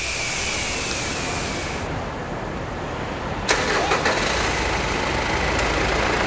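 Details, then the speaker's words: Mitsubishi Pajero Dakar diesel, 146,228 km, after oil and filter change and engine bay cleaning: starter catches quickly, settles into a steady even diesel clatter at idle, no misses or odd knocks. "Olha aí guerreiro vocês escutaram a usina de Poço entrando em funcionamento"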